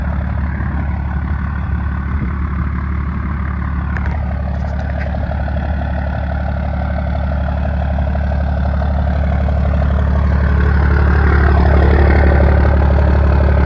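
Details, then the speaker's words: 12-valve 1st Gen Cummins diesel, 5-speed manual Dodge pickup, just started after fitting a new exhaust tip: steady, even low diesel clatter at a settled idle with no misses, knocks or hunting; normal idle. "Sounds good. Sounds really good."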